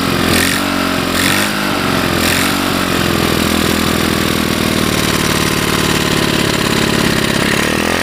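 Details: Chinese 110cc engine, cold start after reversing the CDI pulse generator leads that caused a short, fired with a portable CDI box, fuel trickled into the carburetor, mounted on an off-road cart frame: fires and settles into a quick even putter, running well with no strange sounds.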